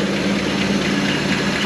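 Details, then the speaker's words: 1956 Chrysler Windsor wagon, 354 HEMI V8 with PowerFlite: very slow loping idle around 200 rpm, steady low thrum, no misses, knocks or smoke; running evenly. "look at that sucker no smoke either and look at that that's like a 200 RPM idle"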